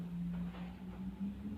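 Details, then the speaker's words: Home wind turbine with Sun GTI inverter spinning up under reduced load: low, steady, smooth hum with no shudder or rattle; earlier vibration at 23 V setting stopped after reducing load, so it now runs normally. "So you can just about hear it cranking up, but it's nice and normal. If it makes a vibrating noise or vibrates a lot, you need to reduce the load."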